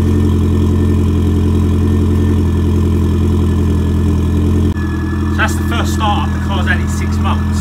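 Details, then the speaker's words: Ford Fiesta RS engine with old-style hydraulic lifters, first start in six months after a barn find, on a fresh battery, warming up: quiet, smooth, even idle with a steady low hum and no knocks or ticks. Normal idle. "very quiet engine now tracking"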